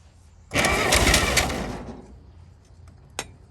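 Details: 1937 Chevy truck six, sitting about 45 years, catches suddenly on ether/starting fluid, roars unevenly about a second, then dies; carburetor froze up from running on ether so long, but it runs.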